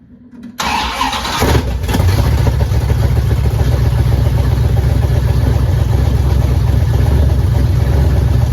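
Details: 1977 Dodge Ramcharger, 440 big block V8 with Street Demon carburetor, first start after assembly on headers with no exhaust: brief crank, then loud, deep, even rumble; runs strong and healthy with good oil pressure and no leaks.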